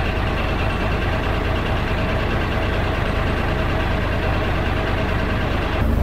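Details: 12-ton six-wheel diesel grader's new drive chain turning at idle after an oil and filter change; the chain is unfilled, with oil poured over it. Steady low rumble, no binding, clunks or snatching. The chain runs smoothly; the hub gets sealant next.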